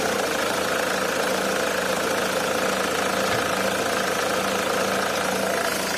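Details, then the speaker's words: Nissan AD 2001, 2.2 YD22D diesel, manual, 260,000 km, after start in summer: steady idle with faint uneven metallic tapping about twice a second; fades after 5–10 minutes, returns under load; owner suspects injectors, unconfirmed. "nissan diesel войди 22 d металлический стук сок от пост запуска летом"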